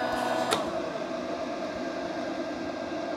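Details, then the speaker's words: Vevor 12 V 2500 W inverter, just after running above rated load (about 2,861 W, ~225 A from battery); the rear adjustable cooling fans run with a soft steady whir, recorded from behind the fans, quiet and normal. "That is quiet. So, I'm actually behind the fans. Like, if I'm off to the side, you can hear how quiet it is."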